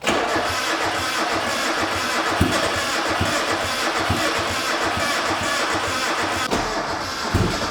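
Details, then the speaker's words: Freshly rebuilt high-compression turbo Mazda Miata on first start after head work: lumpy, limping beat with missing pulses. "Why does it sound like that? Jesus, that doesn't sound great. Doesn't sound like it's got compression on all four cylinders, to be honest."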